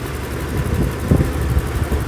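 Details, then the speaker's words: 1991 BMW E31 850i V12 with 6-speed manual, revived after 7 years off the road and driven on a road trip; a smooth, even idle with no misses, knocks or ticks and no oil-burning smell. "still working beautifully and it still sounds great don't smell any oil burning"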